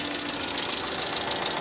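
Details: 2005 Mercedes ML350 (W163) bought with no oil, at idle while addressing a power steering whine: fast light metallic chatter of sharp treble ticking over the idle; noisy top end, owner hopes no oil delivery issue; cause not confirmed.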